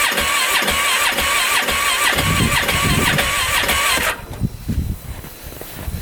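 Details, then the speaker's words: 2015 Polaris Ranger 570, about an hour after full engine rebuild, shut off in snow, below-freezing weather, backfiring: starter turns over in uneven, lumpy pulses, never catches; rough cranking, no start, fuel pump suspected. "you guys listen to it turn over and see what you guys think it sounds pretty rough"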